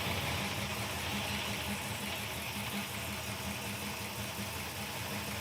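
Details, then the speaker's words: Gasser Chevy V8 idling after start with new radiator: steady slightly lumpy idle, no rattle or knock; normal idle. "I don't hear the death rattle yet."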